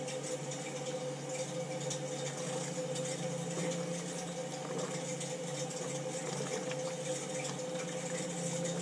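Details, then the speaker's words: Crown hydronic boiler, no heat at start of heating season: purging second-floor zone, faint irregular crackling and fizzing over low hum of moving water, trapped air being purged from the heating loop. "show the air coming out put the hose right in the bucket the air bubbles don't lie okay the crackling is air a lot of air"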